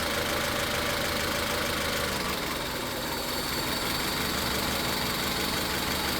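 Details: Car idling unevenly with a lumpy, stumbling beat. Coil and injector power balance tests show cylinder three misfiring, and the problem is not the spark; the root cause is not yet found.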